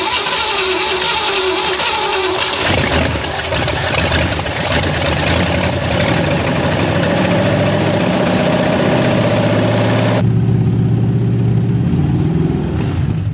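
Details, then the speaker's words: 1967 Ford Mustang fastback V8 rescued from a West Virginia holler, first start: catches and settles into a lumpy idle with an uneven beat, a slight miss, blamed on heavy corrosion. "what do you think sounds like a bit of a Miss uh yeah that doesn't surprise me because everything's pretty Cor eroded"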